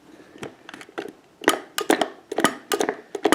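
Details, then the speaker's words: Internal clunk from an arcade joystick as the stick is worked: irregular hard clunks and clicks about twice a second, not every time, apparently from something loose inside near a snap ring and odd washer; may wear in. "that all of that clunking that you hear is on the inside there it's not showing up on camera there's a snap ring"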